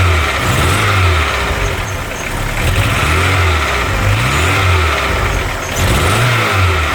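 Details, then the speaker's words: Crashed, abandoned MK3 Golf GTI first start, radiator broken so no coolant in it: rough, lumpy, stumbling revs, no big knocks or bangs; misfire, cause not determined. "There's no big knocks or bangs or anything though, is there?"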